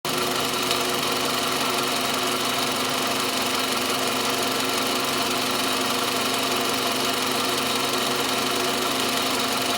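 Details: Toyota Camry 40 with 2.4 engine at idle: a constant, sharp, ringing metallic tapping near the alternator that is always present; source not yet identified.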